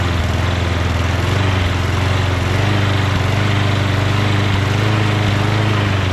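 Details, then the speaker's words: Small engine: steady single-cylinder putter at a slow, lazy pace with no surging or misses; idle rpm seems a little low, adjusted by bending a tab. "rpm seems a little low doesn't it just bend this tab a little bit more that way how about that huh guys still could use a little bit more"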